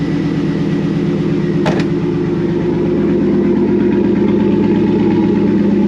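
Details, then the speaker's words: 2001 Pontiac Trans Am WS6 LS V8 idling after replacing the starter (owner suspected failed solenoid kept cranking after start) with an AC Delco unit: steady, even, smooth low rumble, no starter clicking or grinding; healthy. "oh she sounds so good"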